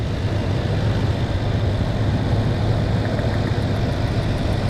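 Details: 2006 Toyota Tundra V8 idling with ignition coil removed from cylinder 2: deep, slightly uneven rumble with ticking still heard; cylinder misfire, suspected failing coil, possibly firing intermittently.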